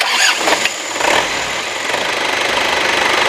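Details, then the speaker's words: Isuzu Panther New Royal 2000, 2.5 direct-injection diesel, checked for blow-by: short crank catches quickly and settles into an even, steady diesel clatter with no misses or knocks; smoother than the 2.3 engine, healthy start. "ini udah di starter kalau dari suara mesin itu dia 25 lebih halus ya dari yang 23 suaranya sih masih halus aja"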